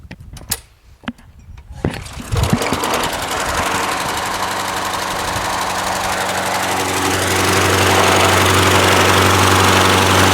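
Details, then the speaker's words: Craftsman push mower, Briggs 6.75 Quantum auto-choke engine, first run after winter storage: loping, rich stumble as if on choke, choke flap found closed. "but then it started running like crap you know almost as if the choke was on this is an auto choke what if during the winter storage varnish gas whatever kept the choke flap closed it might be just stuck"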